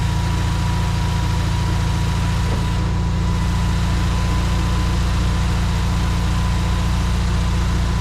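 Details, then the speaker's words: 1952 VW barn door ambulance, carburetor gravity-fed to rule out fuel pump over-pressure: steady deep beat at fast idle that won't come down and hunts slightly; suspected damaged idle mixture screw bore in carburetor. "still not coming down [Music] yeah unfortunately no real change there you can kind of hear it hunting too so I think that idle mixture screw I think the bore inside's damaged"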